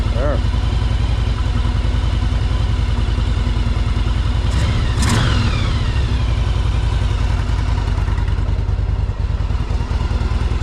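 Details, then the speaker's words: 1984 Yamaha Virago 1000 V-twin first start on choke after carburetor flooding fix, running on its freshly cleaned carbs; strong even low thump with one throttle blip, no misfire, normal idle, runs really good. "Well, that fixes the problem. It runs pretty good, too. It's awesome. It's running really good."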